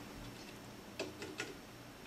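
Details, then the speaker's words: Blackface Fender Princeton tube amp, volume and reverb down: hiss with random sharp ticks and pops, a reverb crash. Reverb-channel components and tubes were already replaced. The amp was exposed to moisture, and the reverb transformer is suspected of corrosion, unconfirmed. "still got this little funny crashing noise can you hear it so the volume's all the way down reverb all the way down there should not be any activity in the output of the samp"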